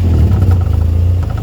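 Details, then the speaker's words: Ford Fiesta ST150 with newly fitted Toyosport non-res high-flow sports cat exhaust at idle: deep rumble with quick light tapping, exhaust clamp knocking on the underbody brace, felt inside the car; exhaust also blowing. "So I'm hoping you could hear that, but yeah, that knocking noise is that clamp knocking on the brace underneath, and you can feel it."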